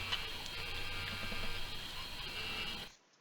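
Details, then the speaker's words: Mosci Gyrocam gimbal powered up without camera: steady raspy electric buzz with thin whine, then cuts out; overtuned motors hunt because camera load is absent, door holding it somewhat. Always boot with camera mounted. "What's happening now is it's overtuned. And if I took this door off, this door is actually helping me at the moment. If I took the door off, the thing would be bouncing around all over the place because the actual load of the camera is not present."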